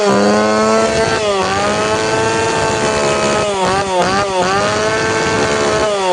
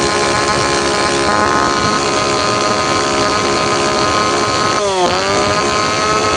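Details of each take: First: Tanaka PowerMate PMS340 two-stroke pruning saw, warm engine, after fuel delivery system repair; high revs sag and surge unevenly, sound not clear; carburetor needs a little more tuning. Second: Tanaka PowerMate PMS340 two-stroke pruning saw, cold engine, after fuel delivery system repair (it previously would not rev up); high-rev buzz dipping briefly and picking back up cleanly, slightly off tune.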